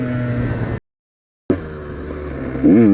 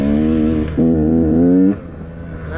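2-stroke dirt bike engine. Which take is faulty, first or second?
second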